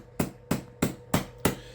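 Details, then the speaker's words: QCW solid-state Tesla coil driven by a 3-phase brick module (full bridge), on time just over 100, roughly 100 V bus ramps: sharp pops about every third of a second over low buzz, arcs randomly popping as if drifting out of tune; cause unconfirmed. "So that's just a little bit over 100, right? That's when I can start to hear it sort of randomly doing the popping."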